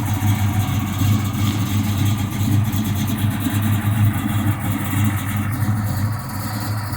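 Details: 1969 Chevelle with fully built 350 V8, Muncie M22: deep lumpy idle with uneven loping beat around three pulses a second; rough idle, cause not pinned down.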